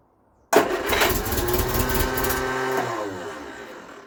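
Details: Vauxhall Viva HC barn find after a new fuel filter was fitted and filled: the engine catches at once on the key and settles into an even, steady idle with no misses or knocks. The owner suspects debris in the pump-to-carburettor pipe and plans to clean it.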